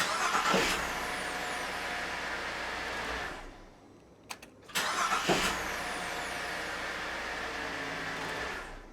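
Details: 2006 VZ Commodore V6 after starter motor replacement: two short cranks, each catching at once and settling into smooth idle; starter engages and engine fires reliably.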